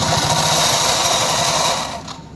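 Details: Yamaha Soul GT scooter, two days after service: rapid rough rattling chatter from CVT drive side, fading as revs drop; suspected loose fan nut on roller housing; CVT rattle.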